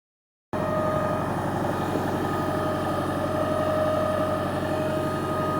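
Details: Arriva London LT341 bus on route 76: steady droning engine note with a fast pulsing flutter and a constant mid-pitched whine; an unusual noise, cause unknown.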